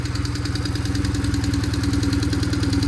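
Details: BMW R1150GS boxer twin at full operating temperature, idling after oil change: sharp steady tick over low thump; suspected loose valve clearance after previous owner adjusted valves himself, not confirmed.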